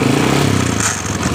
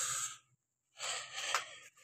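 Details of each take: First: Honda Supra Fit motorcycle running, throttle opened: light metallic clatter from the engine's side rising with revs, "kretek" noise; mechanic suspects the starter gear contacting the magneto, to be confirmed on teardown. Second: Honda Supra Fit motorcycle after replacing starter gear parts and magneto, previously clattering from left engine side on throttle opening: runs with even, steady beat about two pulses a second, no rattle or scraping.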